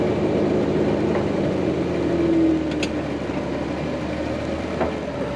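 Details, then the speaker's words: Vehicle driven in two-wheel drive off the trail on flatter ground: uneven knocking clatter over low engine drone while rolling slowly; broken front axle u-joint clanking. "now that we're on a little flatter surface you can really hear that clanking sound"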